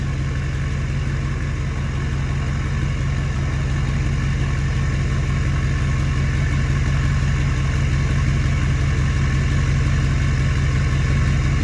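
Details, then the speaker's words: Ford F350 6.4 Powerstroke diesel after new turbo install, not yet at hot idle, about 780–790 rpm: steady, even clatter, no knocks, whistles or hunting; healthy warm-up idle with both turbos working. "Maybe when one of them doesn't spin, that's why it's kind of loud cuz they're both working now. They're not even cold enough where it does the hot idle."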